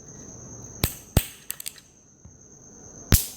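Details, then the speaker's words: New 2.50 MFD ceiling fan capacitor, replacement for slow fan speed, tested by shorting terminals: sharp loud snaps with near silence between; holds charge, capacitor is good. "कि आप देख पा रहे हैं इसमें short करने पर आवाज़ आ रही है, तो इसका मतलब ये कैपेसिटर हमारा सही है।"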